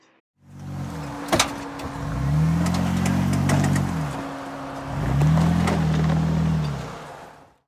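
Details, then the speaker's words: Jeep JK off-road under load on a trail, sharp uneven clicking as it pulls hard twice: damaged CV joint, later replaced with Teraflex high-angle CV joint. "you hear her distinct clicking that keke keke keke keke especially when the vehicle was pulling and under load that sound is the salary of a CV joint"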